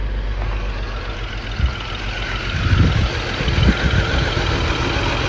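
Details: 2002 BMW X5 3.0L AWD just after start, with a new battery and new spark plugs but still misfiring; a reading meant to be 50 at idle shows only about 41: stumbling, shaky, uneven rough idle; misfire, cause not confirmed.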